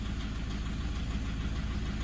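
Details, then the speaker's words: Toyota 1KD-FTV D4D diesel with injectors about five years old, suspected bad fuel or contamination, intermittent misfire: rough idle with regular tapping under the rumble, eases when warm; injector four showed high feedback cold. "hear that loud tapping in the background that's what I'm talking about"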